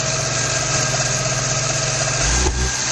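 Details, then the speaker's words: 1994 Geo Metro four-cylinder during drivetrain restoration: steady run with a single pop back through the intake and no real pickup; the timing mark shows the distributor is not advancing the timing. "hear that TR to pop through the intake the timing didn't Advance"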